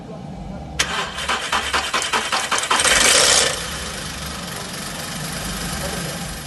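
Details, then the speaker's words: 2013 VW Polo 1.2 with fault code P0341 on cold start: cranking pulses, then brief harsh metallic clatter settling into idle; stretched timing chain with failed guide and tensioner, nearly damaged valves, chain being replaced. "also on startups the chain was making noise"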